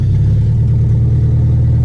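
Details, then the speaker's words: Nissan B14 with SR20VE engine running open header after the header bolts loosened and the header fell off: a deep, loud, unmuffled bark on a quick rev, raw and harsh. "but I want to show you guys how it sounds like let's see yeah because yeah it's pretty loud sr20 ve"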